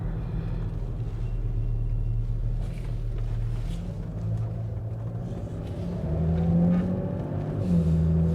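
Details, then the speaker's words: 1995 Mercedes E320 W124 wagon automatic after adjusting the Bowden cable: engine pulls smoothly, then revs drop cleanly into the next gear with no flare or clunk, a healthy upshift. "that's a great shift that's a beautiful shift right [Music] [Music] there"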